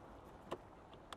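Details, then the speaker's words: Mercedes-Benz EQS 580 4Matic at minus 12 °C: two faint sharp clicks as the washer fluid filler flap latch tries to release, but the frozen flap stays shut; also happened at minus 5 to 6 °C. "the front end here is just shut closed you're not able to open that so you have this yeah you hear that clicking sound yeah it does not want to open"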